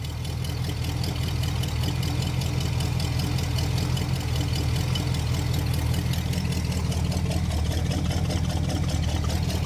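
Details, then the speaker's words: 1968 Pontiac ambulance V8 at idle with 60 lb oil pressure: lumpy, uneven, slightly unsteady pulse, sounds out of tune; minor exhaust leak noted, needs plugs, carburetor tuning, slight timing adjustment and condenser replacement. Rough idle. "got a little bit of an engine the exhaust leak over there I ain't worried about that we got get plugs in this thing we got to tune that carburetor"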